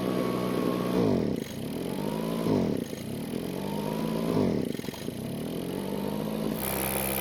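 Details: Backpack blower two-stroke on a test run after carburetor reassembly with the check valves not parallel to the diaphragm: revs swell and sag about every second and a half and never hold full speed, showing surging from misaligned check valves.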